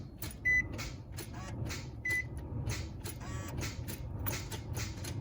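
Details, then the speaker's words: 2003 Nissan Altima 3.5 SE automatic: sharp isolated clicks from the failing starter, driver's side front, with no cranking, then it sometimes catches after several tries; starter being replaced. "See, it'll do it a few times and then it'll catch. Just a clicking."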